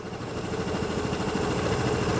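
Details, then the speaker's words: Carbureted Vespa scooter engine idling with a steady, even putter after idle stop screw adjustment; normal idle around the posted range of about 1750 rpm, mixture sounds fine. "about right there is about the right idle that the rpms is posted on the mission sticker on this but that doesn't really concern me it's just a range like 1750 rpm something like that um but you just do it by noise and where the motor sounds good"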